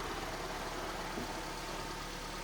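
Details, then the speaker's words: Car with G4NA engine at idle: dense, rough rattling whirr from the manual gearbox, not the engine; clutch and flywheel recently replaced, noise changes when clutch pressed. "Саша уже смотрит всё течи слушает коробка шумит что-то Я не думал что так шумит Ну да слышно что это коробка вот"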